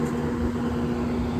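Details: Steady, even blower hum with no grinding, rattling or bearing noise from a newly fitted EBM blower motor in a 7.5-ton Trane Precedent, replaced for bad bearings; set at 4.75 V DC, about 1044 rpm, 0.9 in static pressure, about 2700 CFM.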